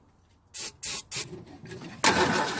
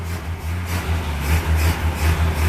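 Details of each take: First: Ford Falcon, believed 170 cu in inline six, first start in about 17 years, on starting fluid, not pulling fuel: three short cranking bursts, rough catch and uneven sputter, dying; fuel starvation stall. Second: Idle of a Ford Falcon with a suspected 170 cubic inch inline six, on its first start in 17 years. Low, steady, even, gentle idle beat with no knocks or misses: normal idle.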